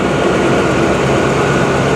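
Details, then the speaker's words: 1998 Ford Explorer, 26 years old, first start after sitting with a bad fuel pump: fires right up into a smooth, even low rumble with no ticking, knocking or smoke; a healthy idle. "That's the smoothest 26-year-old car I've ever heard run. No ticking, no knocking, no smoke. It fired right up."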